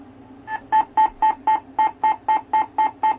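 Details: 3DO console beeping on power-on: sharp, evenly spaced beeps about four a second repeating from power-on, no disc in drive; owner suspects the console is no good, cause unknown; repeated power-on beeping.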